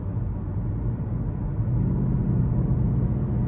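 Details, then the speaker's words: 2015 Chevrolet Malibu LT, 2.5 naturally aspirated four-cylinder, 6-speed automatic, about 124,000 miles: low, uneven idle rumble that lopes instead of holding a smooth beat; rough idle, something loose underneath suspected, not confirmed. "but I'm starting to hear it now it's that low idle that sounds rough so I'm wondering if something's loose down in there"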